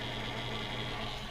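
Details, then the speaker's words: Pyramid PS 36KX 12-volt power supply: constant whirring hum with a thin high whine and no speed change from its worn cooling fan, to be replaced; the supply runs hot without the fan. "If you hadn't noticed, some of my videos have been having this fan noise in the background, and it's my 12-volt power supply has got a fan that, well, you hear that?"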